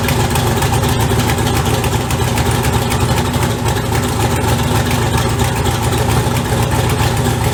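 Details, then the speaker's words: Turbo LS engine at idle after fabricated turbo piping, turbo prelubed: loud lumpy idle with fast puffing tick on exhaust pulses, still sounds leaky but better; exhaust escaping through weld pinholes and joints, five leaks found on one pipe. "still sounds leaky but it sounds better so I'm gonna I'm just gonna start off played at idle and then check around my welds for leaks"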